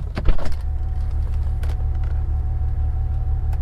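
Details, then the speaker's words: BMW E92 335i N54 with 17T hybrid turbos, no codes or warnings: deep, lumpy uneven idle with stumbles, fuel-smelling mist from exhaust; owner suspects a cylinder down on compression, not confirmed. "she still sounds wrong come have a listen and we got mist coming out of the pipes it's a fair bit of mist isn't it"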